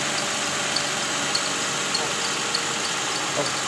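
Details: Toyota Camry 2GR 3.5 L V6 idling with AC on: sharp high chirp about every half second from the serpentine belt area, louder with AC on. Cause is a worn tensioner bearing and weak spring. Replacing the tensioner removed the noise.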